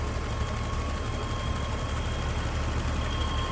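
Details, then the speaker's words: 1984 BMW 325e, inline-six, 5-speed manual, 105,000 miles, hood open: warm idle with steady, even low hum and faint constant whine, no misses or knocks; smooth, healthy normal idle. "You can see how smooth that runs."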